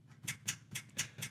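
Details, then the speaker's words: Whirlpool analog electric dryer, front door switch operated by opening the door: crisp, firm clicks about two per second, indicating the switch works mechanically; a soft click would suggest a fault. "On the front of the machine, you're going to find the door switch, which obviously you open the door here. You probably hear it clicking."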